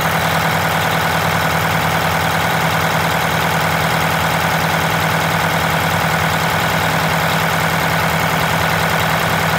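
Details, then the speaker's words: Wanderlodge RV bus, Detroit Diesel 8V92TA after four new pistons and liners, idling after first test drive to cool the turbo: loud, even diesel idle at steady beat, no misses or knocks. Normal idle. "gonna let it run for the turbo to cool down"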